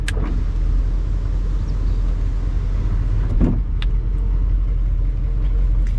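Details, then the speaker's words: 1983 Mercedes 500SEC sunroof being opened to its limit. The electric motor hums steadily and evenly under cabin rumble, with no grinding or straining. Normal sunroof motor operation. "This is a sunroof, so we can run that right now. Let me get the key out. So and that's as far as it opens."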